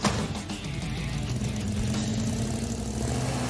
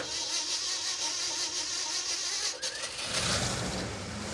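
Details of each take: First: '69 Dodge Charger Daytona clone, 383 V8, after distributor reinstalled and timed 12° initial, 30° total: steady even idle with deep regular beat, no misses or stumbles; finally runs smooth. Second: '69 Dodge Charger Daytona clone, 383 V8, just after reinstalling cleaned used carburetor: fires up and runs lumpy, surging, uneven; owner suspects ignition timing way out, timing light reading erratic 13° to 30°.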